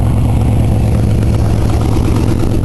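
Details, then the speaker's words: Oldsmobile V8 idling: rough with a rapid puffing tick on each firing pulse, worsening leak felt at a rear manifold where a broken stud let the manifold warp; valve on cylinder 7 believed running rough; exhaust manifold leak. "but I've got an exhaust leak right there I can actually feel it and it's getting worse"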